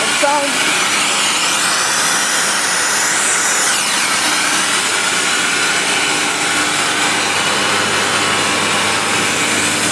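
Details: Rotary screw compressor set: 15 HP Atlas Copco GA11 main unit, little used and in very good condition, with a 10 HP Worthington backup, 129-gal tank and VanAir dryer. Steady airy roar with a faint hum, no knocks or rattles; running healthy.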